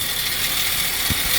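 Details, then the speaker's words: Jeep Patriot with brand-new battery and alternator, towed in, charging only 11 volts: harsh, hissy, ratcheting whir over the running engine, steady in pitch, from the new alternator, which is shot; failed alternator noise. "Where the hell is that noise? It's simple. That freaking junky ass alternator is shot."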